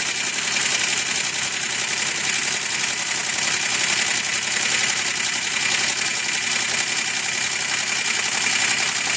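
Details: 2005 Chevrolet Equinox petrol V6 idling with a fast, light steady knock through a hissy engine sound after both heads were rebuilt (one crack welded and machined) and the head gasket replaced; an engine tune-up additive later cured it.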